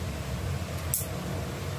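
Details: Stand electric fan motor head, shaft found stiff, oiled and freed; switched on for test: soft steady low whir with no scraping, ticking or wobble, fan now spins freely and runs normally.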